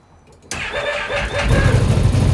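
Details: 2025 XMR 1000 on starting: starter catches and engine fires into a rough, rising roar with a grating edge, an odd start-up noise; cause unknown.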